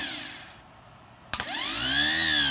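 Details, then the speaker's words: K5 Blazer starter after rebuild, bench-tested with battery clamps, spark showing current draw: sharp click and spark snap, then a clean whine winding up to a steady high pitch; starter spins freely and healthy. "Let's see if it spins up and sprays a bit of grease. Let's see if it works."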